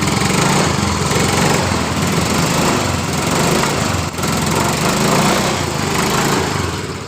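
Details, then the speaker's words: Yamaha Mio M3 scooter that was hard to start and died on throttle, after replacing the oil-fouled spark plug: lively, even buzz rising and falling smoothly with throttle, no misfires. Normal running after repair. "jadi motor hidup dengan normal dengan permasalahan di bagian dari businya"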